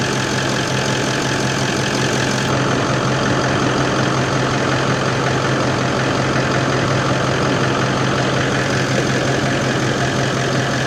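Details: Toyota 79 Series LandCruiser diesel, warm with thermostat open, idling after replacement of the failed turbo: steady, even clatter with no whistle or rise in pitch; engine and turbo sound normal at idle.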